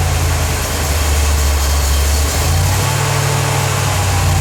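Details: 1977 Corvette V8 just started after over 6 years, fresh super unleaded, leaking fuel filter gaskets snugged: deep idle dips and surges every second or so; unsteady rough idle; fuel leak remains, owner suspects an old hose.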